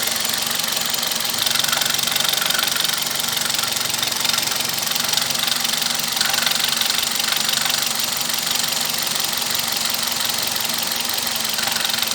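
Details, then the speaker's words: Toyota Corolla engine at idle: fast, sharp metallic ticking about four per second, loudest at the top of the engine; oil level so low it doesn't show on the dipstick, valvetrain noise from low oil. "Antes da gente desmontar qualquer coisa, a gente apenas checou o nível de óleo do motor. E para surpresa, não tá nem aparecendo na vareta."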